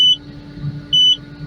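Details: Takeuchi TL12V2 track loader at -30C moving snow, stalling repeatedly: two sharp beeps over the diesel hum as it throws SPN 1239 FMI 1 (high-pressure fuel leak) and SPN 523620 FMI 2; owner suspects gelled summer diesel, not confirmed.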